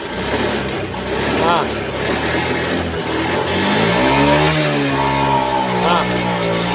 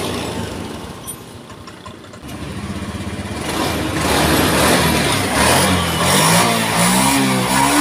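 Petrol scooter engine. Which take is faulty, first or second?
first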